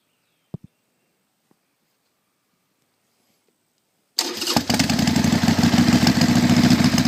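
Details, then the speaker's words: 1999 Harley-Davidson XLH 883 Sportster with a 1200 kit fitted 25,000 miles ago: after starter clicks, the V-twin idles with a sharp repetitive banging, seemingly from the front cylinder; engine knocking, mechanic suspects failing lifters. "well I'm having this banging noise sounds like it's in the front cylinder going to take it up to my mechanic in a day or so he seems to think the lifters are going bad"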